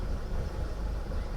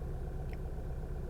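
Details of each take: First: 2012 Volkswagen CC R-Line 2.0 at idle, many misfire and camshaft codes: low, lumpy, uneven idle as actual cam timing drifts over 50° from target; variable valve timing fault suspected. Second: 2012 Volkswagen CC 2.0 after VVT solenoid replacement (had rough idle, stalling, misfire and cam codes), cam timing within spec: low smooth even idle rumble, no stumble or miss after several minutes. Normal idle.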